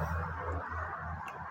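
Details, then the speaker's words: Bajaj BS6 motorcycle that had no self start, kick start, fuel pump or ignition due to one cut wire in a relay line; after joining the wire and refitting the relay, key-on gives a low hum then a sharp click as all relays engage normally; bike then starts. "இப்போ சாவி on பண்ணோடனே relay sound கேட்கும் பாருங்க. சாவி on பண்ண எல்லா ரிலேவும் on ஆகிடுச்சு."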